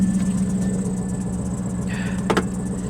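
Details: Vehicle the speaker believes is a 2000 with an LS1 V8, idling on a very hot day at an auction lot: an even idle with a steady low burble and a brief light clatter midway. It runs smoothly on its own with nothing wrong heard.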